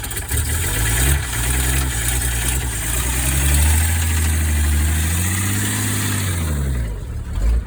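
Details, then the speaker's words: Ford truck engine restarted on a different battery runs roughly, its low drone wavering and surging instead of holding steady idle; blown head gasket suspected, motor thought to be gone and to be swapped. "I would say it definitely has its own head gasket. Yeah. Yeah. It ain't doing so good. The motor I think is gone."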